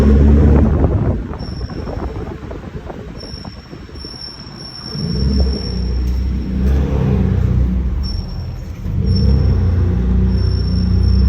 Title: BMW m3 f80 rear brakes making noise while turning (only when brake pads are warm)